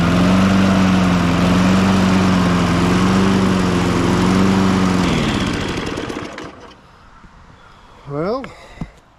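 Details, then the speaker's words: 1998 Ariens 21" self-propelled mower, engine VLV60, warm and surging: runs steadily at about four firings a second then abruptly dies and coasts to silence as the newly fitted replacement ignition coil loses spark. "yeah we lost spark on a $25 coil or whatever that thing was got one use out of it or 30 seconds out of it really"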